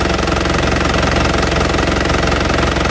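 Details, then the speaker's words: 2010 Isuzu Panther LV 2.5 turbo diesel, fairly warm: steady even diesel clatter at idle with no misses or odd knocks, no blow-by at the oil filler; healthy normal idle. "Mesinnya seperti ini teman-teman, bunyinya masih langsam ya. Ciri khas Panther, dieselnya enak banget bener."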